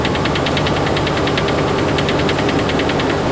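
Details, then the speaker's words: Freightliner truck cab while driving: fast tinny rattle, about ten clicks a second, over engine and road drone; occurs only when driving, cause unknown. "Unfortunately, it only comes on when I'm driving. I can't be in two places two places at the same time."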